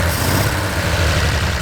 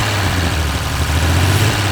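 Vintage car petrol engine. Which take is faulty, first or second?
first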